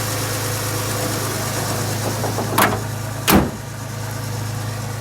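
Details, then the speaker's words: 1985 Ford Bronco 300 (4.9L) inline six with split EFI-era exhaust manifold, after Motorcraft 2100 two-barrel carb conversion: fires right up, steady even low idle, no misses or knocks, a couple of brief clanks nearby; normal idle. "go ahead and fire it up for you can hear what it sounds like it does fire right up which is nice i mean it always has but"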